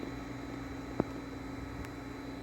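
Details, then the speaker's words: Hayward Super Pump and sand filter on a Coleman Power Steel Deluxe 18'x48" pool after fitting quick-release unions and fixing an air leak at a fitting; a steady, low, even hum with no gurgling or rattle, one brief click; much quieter than before, running healthy. "I was leaking some air right here. As you can hear, it's way way quieter. Sounds good."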